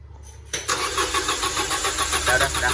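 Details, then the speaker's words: Car that often won't restart once hot: quiet, then the engine catches with a pulsing roar at about three and a half beats a second; slow, reluctant start, cause unclear, with a weak or failed crankshaft position sensor suspected. "Jadi kadang-kadang ya hidupnya hidupnya terserah si mobil ini yuk Sob mau hidup ini lagi"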